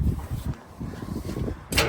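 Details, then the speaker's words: Foden truck diesel start on a very cold day after fitting replacement second-hand batteries. A few heavy cranking pulses, then it catches cleanly and settles into a steady run. Normal start, better than ever before. "Oh yes! She's never been so good."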